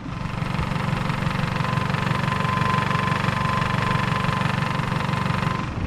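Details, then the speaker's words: 1996 Toyota Camry just after timing belt and water pump replacement, cold with the thermostat still closed: fast, fairly even rattle about three taps a second at idle, possibly something touching the belt; owner then fixed it. "i started freaking out for a second because of this rattling noise i'm here and listen to this"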